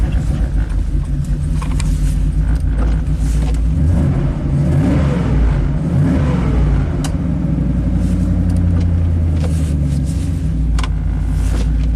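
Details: Chevy Silverado 3500 dually dump truck, 6.0L Vortec gas V8, about 20 years old, 40k miles. After the misfire repair, with the injector now working and cold fuel, a deep steady rumble that holds under gentle revs with no stumble. The engine runs smoothly.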